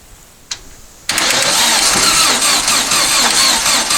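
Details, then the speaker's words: Long-stored dune buggy/sand rail, fuel dribbled into the carb, cranking on a booster pack: sudden harsh, hissy, weak cranking that never fires; owner suspects the booster pack lacks power and plans to use the truck battery. "so i think we need a little more power than the booster pack's going to provide"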